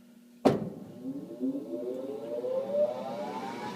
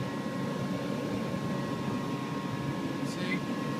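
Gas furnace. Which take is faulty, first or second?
first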